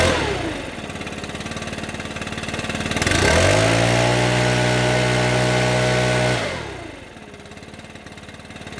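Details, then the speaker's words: Stihl BR600 backpack leaf blower, customer complaint of not reaching full throttle and slight bogging, before repair: engine idles then revs quickly and smoothly to steady high full-throttle scream with no bog, then drops back; exhaust screen and carburetor likely ruled out. "Alright, so it's not bogging, and when I hit the trigger it pretty much gets full throttle right away,"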